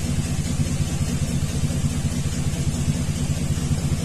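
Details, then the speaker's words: 2000 Chevy 2500 6.0 V8 with P0300, P0171 and P0174, idling in open loop with the bank-two O2 sensor unplugged: a steady beat broken by a stumble about once a second; consistent misfire on cylinder two from a fouled spark plug, plus an EGR-tube vacuum leak. "now it's showing consistent misfires on number two though I never did check the plug on number two"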